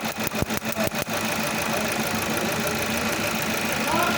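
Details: Toyota with code P0301, cylinder 1 misfire detected, at idle; a few uneven thumps then a steady but slightly rough idle, cause not yet pinned down.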